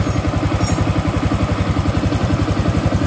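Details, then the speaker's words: Honda Click 150 scooter after repair with new block, valves, connecting rod, rocker arm, valve seals and crankshaft oil seal, still hot and smoking: steady even idle pulses about 220 a minute, no knock or rattle; engine now quiet, normal idle. "Init pa, muusok. Tahimik na yung makina ng Honda Click 150. Nag-overtime pa. Tahimik na."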